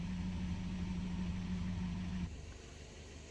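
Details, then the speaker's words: Natural-gas-converted Mercedes 190E 2.0 running on natural gas, after a simple no-tools fix of its bad rough idle: smooth, even low hum, idling perfectly fine now and usable; normal idle. "car idles perfectly fine now and it's perfectly usable"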